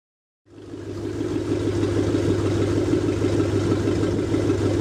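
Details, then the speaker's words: Rebuilt 368 Lincoln Y-block V8 on an engine run stand, not yet at operating temperature, about 70 psi oil pressure, just above 1000 rpm: steady, even idle, smooth regular beat, no knocks or ticks; runs well, show-quality, ready to be dropped in. "I hope everybody got a pretty good perspective of how well this motor runs it is ready to be dropped in its a show-quality motor"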